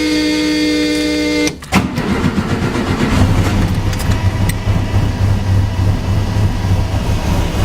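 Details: Air-cooled VW engine in a dune buggy with DIY fuel injection (Ford 36-1 tone wheel on crank pulley): steady fuel pump priming hum over a second, then quick start into lumpy but even idle; normal.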